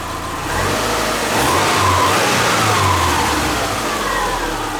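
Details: Subaru Forester with freshly reinstalled EJ25 flat-four, valves not adjusted, warming up around 114–120 coolant, learning idle: smooth, even idle with light rise in revs, no knocks or misses; normal warm-up idle.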